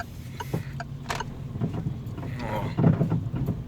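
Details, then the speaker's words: Peugeot 208 driven over potholes with windows closed: sharp, uneven clunks over low road rumble from worn stabilizer links (bieletas), also noisy when turning the wheel; SKF replacements bought. "Eu vou passar numa parte aqui que tem mais buraco. Eu acho que vai dar pra escutar bem."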